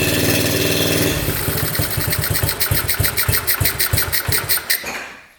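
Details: 1972 Honda CT70 with bogging problem, timing checked against F mark: uneven lumpy firing about three beats a second, stumbling then dying off; ignition firing about half an inch late, retarded timing, points gap to be adjusted.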